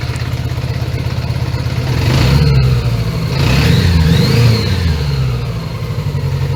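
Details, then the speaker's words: 1980 Honda GL1100 Gold Wing flat-four on overhauled carbs, hooked up for a carb sync, idle raised, not yet at operating temperature. An uneven, lumpy idle that stumbles through blips, dropping a cylinder now and then: intermittent misfire. "Yeah, it doesn't run on all fours all the time."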